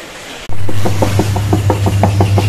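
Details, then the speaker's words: Whirlpool top-load washing machine with excessive noise and water leaking; deep steady hum with a rhythmic knock about six times a second, pointing to a worn tub bearing; repair begins by removing the pulsator. "ഈ മിഷൻ്റെ പ്രശ്നം. ഇതിൻ്റെ over സൗണ്ടാണ്."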